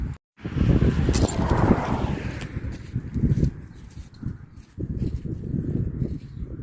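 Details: 2006 Chevy Silverado LBZ Duramax diesel with DSP5 tune, on 3.5-inch exhaust before 5-inch straight pipe install; cold start after sitting overnight in the 20s, now upper 50s: catches quickly, settles into deep, lumpy idle, no knocks or misfires; healthy cold start.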